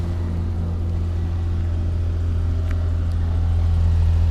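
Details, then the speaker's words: Toyota Camry, about 350,000 miles, transmission rebuilt some 30-40k miles ago, driven the day before: starts right up to a deep even low idle with no knocks, ticks or squeals; normal idle. "I'll just start it up this way uh I can't seem to get the button will work starts right up no issue"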